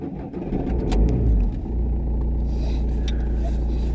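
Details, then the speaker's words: 2009 Ford Fiesta Mk7 1.4 TDI, 5-speed, after replacing the starter motor (and an earlier fuel injector replacement): starter spins briefly, engine catches cleanly and settles to a steady even idle; faultless start, no dashboard errors. "Good sign so far, it obviously starts. Let's see what it's like to drive."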